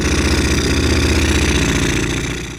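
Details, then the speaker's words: Pitbike with a small single-cylinder engine idling fast and unstably, the revs sagging toward the end. Throttle hangs for a few seconds after blipping and the kickstart is too easy; suspected cause is misadjusted valve clearances. "Obroty są trochę wyższe i niestabilne."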